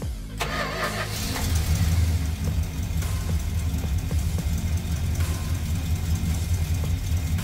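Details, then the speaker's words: 1967 Dodge Dart after 2-barrel to 4-barrel carb swap, timing 10° BTDC, choke closed, about 670–680 rpm: uneven, lumpy idle that stumbles on any throttle; significant vacuum leak suspected; rough idle, stumbles on throttle. "so close I'm going to close the choke up okay so like I give it it'll idle but I give it any gas whatsoever"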